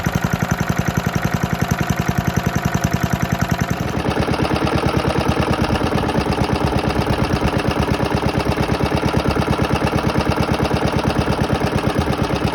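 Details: Very worn 1972 Hayterette mower, hundreds of hours last year, cold start after six-seven months stored on old fuel topped with fresh: quick, even single-cylinder beat, no misses; hard to start but engine runs strong once going.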